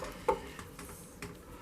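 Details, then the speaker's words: Internal door handle latch after cleaning and lubricating: two soft, clean latch clicks about a second apart, smooth with no squeak; hinges still squeak. "So as you can hear, it's nice and smooth. Right, so that's that. It's smooth operation and doesn't squeak."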